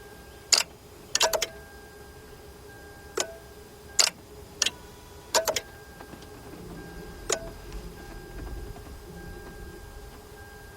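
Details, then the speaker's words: Lexus LS460 that does not start or crank: sharp single relay clicks, about a dozen spaced irregularly over twelve seconds, with no cranking after any of them. "So that means, hey, matter of fact, you hear the relay clicking? Yeah. The relay's clicking."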